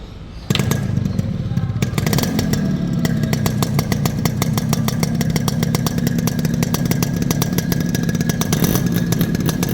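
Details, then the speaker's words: Fully restored Yamaha RX100 two-stroke: a crisp crackle that starts up and settles into a steady, even beat with clean revs; healthy engine, normal exhaust note. "இப்போ இந்த வண்டியோட beat sound கேக்குறேன்"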